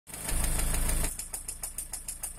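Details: Lada Priora engine after the factory piston rings were replaced with gapless rings: it revs, then settles to idle with a sharp, regular diesel-like tapping knock about five times a second; the cause of the knock is unknown.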